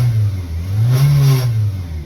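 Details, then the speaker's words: Car interior while driving, heard after a hard overdrive shift: deep, steady roar with a buzzing edge and vibration felt in the car, swelling under load; cause not yet diagnosed. "can hear that roar like the vibration almost a buzzing noise you can feel it in the car which is what's crazy"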